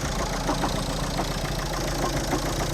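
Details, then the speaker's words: Car after refitting an engine mount with a longer bolt and nut: loud rough engine with irregular heavy knocks about every half second; knocking noise, cause not yet found. "A co to tak wali w tym aucie jeszcze dalej to sztuka"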